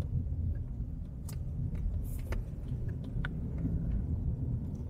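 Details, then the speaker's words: Honda CR-V Turbo after full sound-deadening install, test drive at about 40 km/h on rough residential asphalt, heard from inside the cabin. Low, even tyre rumble with no drone or roar; cabin well insulated. "banget ya kita ngelewatin aspal kasar tapi di dalam kabin benar-benar halus banget"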